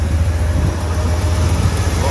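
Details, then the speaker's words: 1981 Chevrolet C10 with low-mileage rebuilt 350 V8 and 700R4 automatic, started at 15°F; deep, steady idle with even rumble, no knocks, ticks or misses, mild exhaust — normal idle. "step side sounds good got some decent sound exhaust so nothing radical but just a nice uh cruiser truck so ok"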